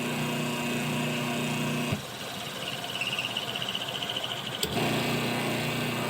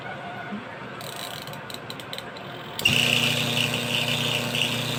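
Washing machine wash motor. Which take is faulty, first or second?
second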